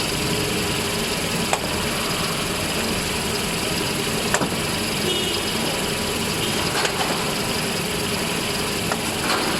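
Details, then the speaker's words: Toyota Hilux idling with a faint steady high cricket-like chirp and metallic ticks from the clutch release bearing when the pedal is not pressed; noise disappears when the pedal is pressed and gets louder as the engine warms. "ini dia bunyinya kayak ada bunyi jangkrik sudah tetapi pada saat pelat ke pedal kopling kita injak maka bunyinya akan menghilang seperti ini"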